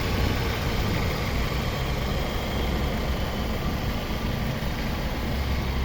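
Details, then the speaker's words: Toyota Corolla Altis 2007 1.6 G VVT-i petrol at idle: very quiet, smooth, even hum with no knocks, stumbles or whines; no smoke or misfire, healthy idle. "เครื่องเงียบมากครับ"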